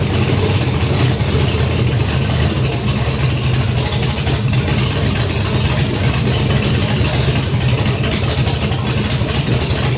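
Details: Junkyard GM LS 5.3 V8 on an engine stand, first fire with a Fitech Ultimate LS kit, 20 psi oil pressure, no coolant, run briefly with the block at 98 degrees; steady, even low rumble with no knocks or ticks, perhaps slightly rich.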